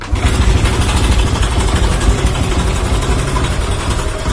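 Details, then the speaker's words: Single-cylinder motorcycle after fitting Tobaki coil and Faito spark plug; before, it nearly stalled at start: deep even idle holding steady without dipping; idle stable, timing back to normal. "Motor seat buset saya pun sudah stabil. So sebelum ni kalau saya start motor pun dia macam nak mati je."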